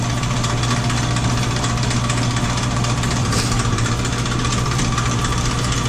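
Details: Sidney lathe, about 100 years old, power feed engaged. A steady low hum with an even mechanical whir and no knocks or grinding; it runs smoothly under feed.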